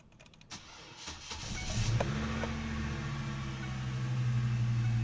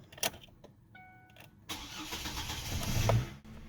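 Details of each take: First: 2005 Chevy Colorado cranking the morning after it needed a jump start: the starter drags the engine over sluggishly at about four turns a second, much weaker than it should be; slow crank blamed on a weak battery, then tested. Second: 2005 Chevy Colorado after replacing a weak battery that caused slow cranking, new battery tested good: brisk strong crank, then clean start into a smooth steady run; normal crank and start.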